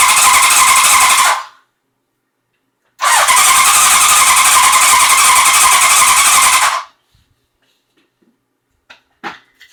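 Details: 1981 Honda CB900 Custom, non-running when acquired, fed from a makeshift fuel tank with choke pulled manually: two long bursts of fast even cranking (~4 turns/s) with no firing despite new plugs and coils, pulse generator, cleaned carbs, factory timing, good spark; cause unknown.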